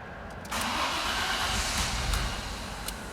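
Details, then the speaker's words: 1998-99 Audi A6 C5 won't start, code P1570, alarm removed and wiring restored; starter cranks, engine catches with a short burst and dies within seconds, repeatedly, immobilizer cutting fuel after start, instrument cluster suspected. "стартер крутит схватывает и сразу глохнет схватывает глохнет"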